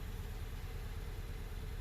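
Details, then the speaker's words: 2017 Hyundai Elantra running rough and visibly shaking at idle with check engine light; scan shows P0301, cylinder 1 misfire; low uneven stumbling idle; coil being replaced, plugs ~30k miles old, engine had ingested flood water and stalled a month earlier. "Read the codes. And it's going to show that it's a Misfire."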